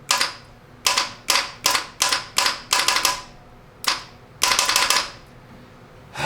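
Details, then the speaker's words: 1977 Toyota SR5 pickup, 20R engine, sat 10 years after running rough and losing coolant; starter wired direct for a spin test gives sharp dry clicks in quick bursts with no cranking; starter suspected to have failed too, so no compression test. "The starter's probably gone too, so we can't do a compression test."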